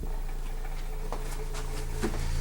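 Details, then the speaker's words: Klipsch ProMedia subwoofer, over 10 years old: deep steady low tone with fluttery port chuffing plus light ticking rattle from a nearby thermometer vibrating; with thermometer removed only port noise remains. "Oh! It's making the thermometer rattle. Alright, so the thermometer is part of the rattling. But notice, once we get the thermometer out of the equation, you just hear port noise, which is what this thing does."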